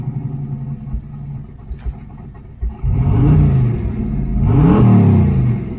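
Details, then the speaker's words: Freshly refreshed twin-turbo 351W V8 on first street drive under light load: deep, even rumble rising smoothly under light throttle, no knocks or rattles; sounds good, idle possibly a little high. "first ride is in the books. Sounds good, still sounds good, so we all good there."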